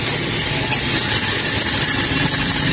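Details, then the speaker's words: Toyota Vios at idle before replacement of the main accessory (serpentine) belt: shrill, high-pitched chirping squeal steadily over the idle from the worn, slipping belt. "nha chiếc này nó đang kêu cái dây curoa ở phần dây curoa tổng nữa các bạn Khi mà mình nổ máy lên nghe Nó kêu đi"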